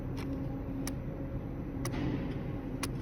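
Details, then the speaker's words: BMW F10 diesel with a DDE module shorted to ground and corrupted CAN bus, no comms and no start: sharp irregular relay clicks about once a second over a low hum with the ignition off, pointing to a control unit malfunction. "You can hear that clicking and that can only mean there's a malfunction in this control unit."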